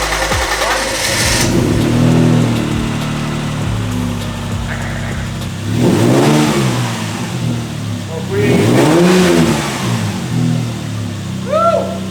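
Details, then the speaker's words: Lexus IS200 first start after same-day engine swap, on the lift; clean blips from idle rise and fall smoothly, no knocking or rattle, steady idle return, runs pretty good. "the Lexus runs again and it runs actually pretty good"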